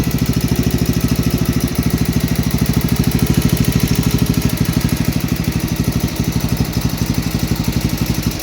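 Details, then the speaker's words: 8hp Kohler K181 single-cylinder on 1971 John Deere 110 after head gasket replacement: steady even thumping at constant speed, no misses, plenty of blow-by, possibly slight valve tick; much better without the head gasket leak. "But here it is, running. Plenty of blow by, like all Kohlers. I had this fall off. Sounds like it has a little bit of valve tick in it. Way better without a head gasket leak."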